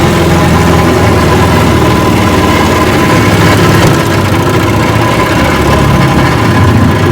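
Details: Rebuilt 1959 Evinrude 18 hp fast twin two-stroke outboard, warm after 15+ minutes of running; reverse is being checked. Loud, steady drone at even speed with no stumbles or knocks. Normal running.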